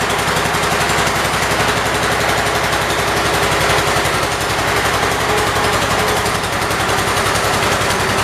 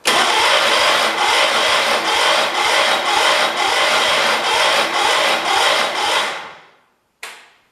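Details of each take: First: 1978 Kohler K341 single-cylinder engine in a 316 tractor, freshly rebuilt with new rings, first run: steady, even beat at fast idle with no knocks or misses; initial smoke, likely burning off two-stroke oil, stopped quickly. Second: 1978 Kohler K341 on a 316K tractor, first start after a rebuild with new rings: the starter cranks in even pulses about twice a second without firing; the cylinder looked dry and seems to have compression, and the owner suspects too little fuel or off timing.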